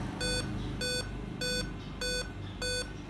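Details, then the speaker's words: Dell Inspiron 5520 laptop (LA-141P Rev 1.0 board) powering on with five evenly spaced beeps, the five-beep POST code for an RTC/CMOS battery area fault; CMOS battery to be checked. "आप आमतौर पर 5 beep RTC block त्रुटि करते हैं सबसे पहले मैं देखने के लिए जांच करूंगा क्या इस मशीन में अभी भी cmos की बैटरी है, दोस्तों, आमतौर पर 5 बीप की त्रुटि है, यह rtc एरिया है।"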